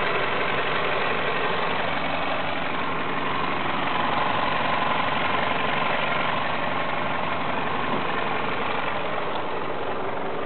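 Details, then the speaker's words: 2000 Toyota Solara SE four-cylinder idling in reverse with the e-brake on, with a dull rhythmic knock or clunk of about four beats a second. It is almost gone in drive and absent in park, and persists after all engine and transmission mounts were replaced. "okay shifting to drive it's almost gone now shifting to park it's gone completely shifting again to reverse it's there again"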